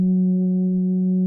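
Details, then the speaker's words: BuzzClip ultrasonic obstacle detector, with its vibration motor held directly against the microphone. A steady low buzzing hum for about 1.5 seconds after holding the power button, then stops: the normal power-off vibration signal. "But it is very silent. Like if you wear it, you should not hear the vibration. It's just because I am sticking the vibrator motor, like the vibration motor, directly on the microphone."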